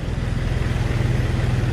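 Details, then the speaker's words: Tired Jeep TJ 4.0L started cold at about 50°F on straight 50-weight oil, which masks its knock. A deep steady idle carries a fast low puffing chuff from an exhaust manifold leak, likely a crack, that goes away when hot. "what you hear right now is just the uh exhaust leak"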